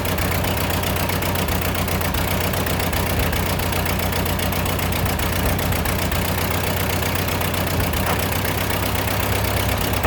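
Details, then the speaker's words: A Ford 8N tractor engine idles with a loud, uneven chug and occasional stumbles and misses; the carburetor is leaking while it runs, and the owner suspects a sticking float whose height has not yet been adjusted. "Uh the carburetor is leaking uh while it's trying to run. It's sputtering. I I think the float is getting stuck still."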